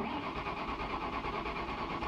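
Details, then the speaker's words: Manual car engine, owner unsure whether timing is bad or motor locked, cranking after reassembly, set so it won't fire, clutch in, to build oil pressure: strong even cranking, spins freely; normal cranking. "oh my camera's about to die but it cranks over Just Gonna Keep cranking it a little bit"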